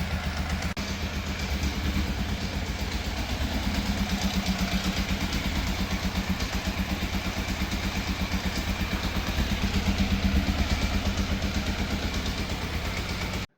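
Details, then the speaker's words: Fire-damaged Yamaha FZ750, 41,000 miles, started with boost pack: steady fast pulsing high idle with uneven edge; throttle push and pull cables fitted wrong way round, idle adjusted. "It still doesn't quite sound right, so I've adjusted the idle a little bit, and also I had the throttle cables on the wrong way around."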